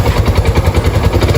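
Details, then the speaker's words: Single-cylinder motorcycle after work with cylinder kit, valve seals, cam chain and rockers all checked OK; a chronic noise remains at the clutch drum. Steady, even low thump at idle with no knocks or rattles; idles cleanly. "Vai. Perfeito, hein? Gostei. Tá, cara. E dá uma lenta d bonita, não é? Perfeita."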